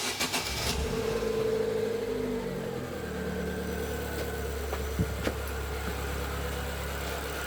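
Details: 2013 Chevrolet Celta 1.0, about 69,000–70,000 km: after a few start-up clatters the idle settles to an even low hum with no lifter tapping; healthy idle after replacing poor-quality oil and filter with original oil, which cured the hydraulic lifter tick.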